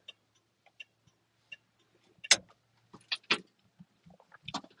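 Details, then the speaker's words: 1959 Chevrolet Apache 32 long box step side with four-speed transmission: light, even turn signal flasher ticks about once every 0.7 seconds with dashboard indicator lit, normal operation. "here's our turn signal indicator and you can see when I do that there's a light that lights up here on the dashboard and let's do the other side and that's how you should hear the ticking noise"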